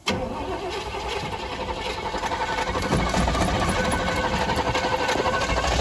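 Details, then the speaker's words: 1985 Chevy C10 square body with a 305 V8, new distributor, timing and carb being adjusted, vacuum leaks present, hot day. It catches and runs rough, loping about four beats a second, struggling to hold idle, then dies. "I know no it just died is that progress y'all"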